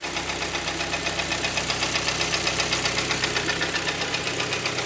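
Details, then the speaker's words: 2011 Hyundai ix35 G4KD, 153,000 km, heavy oil burning with coked rings: steady rapid clatter about four knocks a second over idle, appeared in winter on cold starts; cause unconfirmed. "как вы себя слышите хорошо так брякает приличная бы сказала опять-таки это случилось Все Зимой не в жару не в пробке где-то Вот именно зимой при холодных запусках тык тык тык услышал хозяин"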